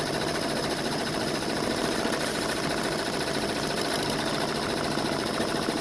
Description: Machine has grinding sounds while operating